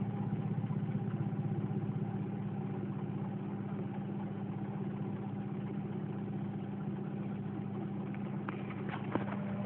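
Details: 1996 Mazda Protege running off a jump starter: low, unsteady rough idle with uneven faltering beat about four pulses a second; sounds worse at other times, cause unknown.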